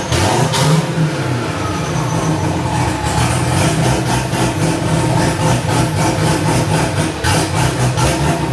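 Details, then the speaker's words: First start of a newly LS-swapped, cammed wide-body C4 Corvette (turbo build, stainless exhaust, no cat): loud, lumpy, choppy V8 idle, steady and strong with no knocks or ticks. Oil pressure is present and the air-fuel ratio is about 13.5; it runs healthy. "Oh yeah, everything's fucking running fine. Air fuel ratio is up 13 and a half. Just don't see any in the fucking It runs good though. It's got a chop to it for sure."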